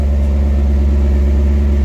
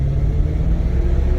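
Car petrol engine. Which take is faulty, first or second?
first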